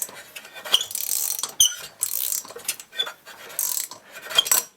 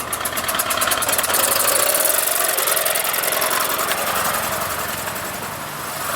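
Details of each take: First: Solex moped with a starting problem, small two-stroke hand-cranked: rough scraping, squeaking and binding, tight with compression; suspected bearing. Found out-of-round flywheel, bad cylinder, poor decompression valve and broken fuel pump. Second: Solex two-stroke moped after replacing worn parts and a broken fuel pump: a busy, even buzz holding steady around idle with no misses or knocks, running properly.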